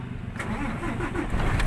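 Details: Fuso Super Great truck, 6M70 diesel, with low power and hard starting: heavy diesel cranks briefly, then catches and settles into a rough, low, slightly unsettled idle, engine start.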